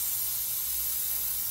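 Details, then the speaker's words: BMW E36 with LS swap (LQ4 6.0L V8, BorgWarner 72 mm turbo), engine off, DIY boost leak test: constant sharp hiss of pressurised air leaking at the new Turbosmart blow-off valve; O-ring not seated properly, reseating it and reclamping the V-band fixed the leak. "as soon as i put it on i can already hear something over here it's actually coming from the blow-off valve so i'm just going to make sure i have it on correctly i can hear the boost leak coming from my"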